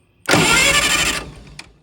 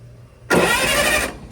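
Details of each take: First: 1960 vintage military generator, switch on, cranked by touching two leads together while checking for spark: about a second of cranking with no firing or catch; turns over but no ignition spark. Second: 1960 vintage military generator, long sat, first try: a short burst of smooth, even starter whirr under a second, no binding or catching; the engine turns over freely and well, normal cranking.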